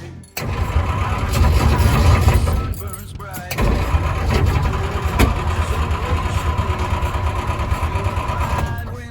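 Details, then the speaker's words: 1950 Ford F1 parts truck sat for years, fuel poured down carburetor, fuel pump hose off: slow steady cranking with one brief catch that dies at once; has spark but no fuel supply, sticky throttle pedal. "It sounded like it tried. The pedal is sticky, the throttle pedal. So I don't know if I'm gonna be able to do it with that one. But it did fire once."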